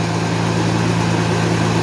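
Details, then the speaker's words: 1991 Mercedes 190E after hydraulic lifter replacement, fully cold fast idle around 1,200-1,300 rpm: steady loud low drone with rougher hiss on top; owner suspects a tiny pinhole or seal leak in the exhaust; loud cold idle. "I think it's like a pin hole somewhere a tiny little seal on the exhaust"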